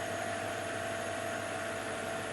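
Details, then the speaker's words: Mercedes-Benz C55 AMG, M113 engine, severe oil leaks, nearly drained of oil, just started: smooth, quiet idle with a thin, steady squeak throughout; belt squeal from oil-contaminated drive belt. "quiet and smooth other than just a little bit of belt squeal. The belt's contaminated with oil."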